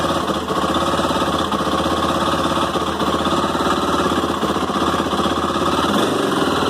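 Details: Sharp rapid metallic clicks chattering from inside the engine of a Honda CB 300 motorcycle at idle, heard on starting in the morning; cause unknown.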